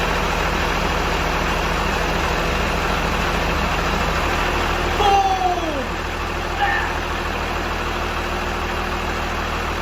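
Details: First start of a P-pump Cummins inline-six diesel swapped into a Squarebody Suburban after wiring and fuel bleeding, no lift pump: steady, even diesel clatter at idle with no misses or knocks and a brief whistle midway; healthy idle.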